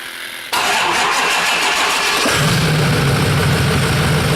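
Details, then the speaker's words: Diesel truck with the exhaust removed at the cat, started unexpectedly: it cranks and catches into a loud open-exhaust idle with no VGT turbo whistle over it; the cause of the missing whistle is still unknown. "Surprised it actually started, but as you can tell, no whistle."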